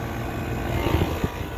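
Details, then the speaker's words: Trane outdoor AC condenser running: loud, rough whooshing drone with uneven low rumble; sounds bad, cause unclear. "Oh, this train does not sound too good. That does not sound good at all."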